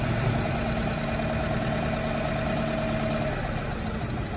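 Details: Nissan Tiida/Versa petrol engine misfiring with no fault code, injectors and coils under intake manifold: rough lumpy idle, cylinders checked by disabling injectors one by one with a scan tool; idling as if two cylinders not firing.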